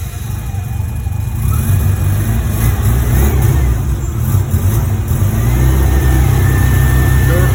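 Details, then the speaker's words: Mazda RX-7 FD rotary on first start after revival; rough, uneven idle with occasional sharp little pops, a misfire; owner suspects missing ignition condenser with timing all over the place. "did you hear it it's a little pop yeah so we need we need that uh oh okay so we need that uh that that condenser because timing is timing's all over the place right now"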